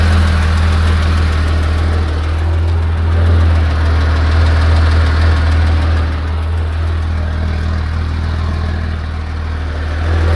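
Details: 1986 Porsche 911 3.2L at hot idle: steady low idle with a faint, fairly regular tapping about four times a second over it; source unclear; abnormal noise at hot idle.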